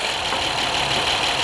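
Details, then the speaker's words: 2010 Honda Accord 3.5 V6 at idle, after new spark plugs and ignition coils fixed a flashing check engine light and misfire: steady, even idle with a smooth hiss, no stumble; running normally. "I guess it sounds good. Whatever, it sounds pretty normal."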